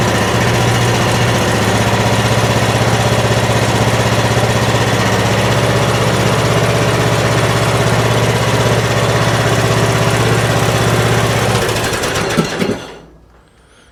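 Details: Troy-Bilt Pony riding mower, single-cylinder engine, first start on choke after a loose fuse block connection was found: steady even beat, idle slightly high, throttles up cleanly and returns to idle, then shuts off. Normal idle, slightly high.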